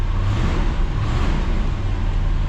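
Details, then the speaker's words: 1966 Ford Galaxie 500 352 4V V8, idling in neutral warming toward operating temperature after a true cold start on a 47°F evening, unstarted for over three months: deep, steady, even burble with no knocks or ticks. Healthy engine. "For being sitting for all those months, it sounds really good."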